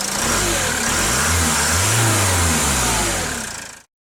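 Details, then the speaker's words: Citroën Jumper/Peugeot Boxer/Fiat Ducato 3.0 Iveco diesel van with fault code P0638 from water damage to the throttle body: the engine starts, revs smoothly, and shuts off cleanly as the valve closes, with no shudder. "at the shutdown you heard the valve i saw it also it's on the back and it closed you hear a clean shut off no shuddering promising"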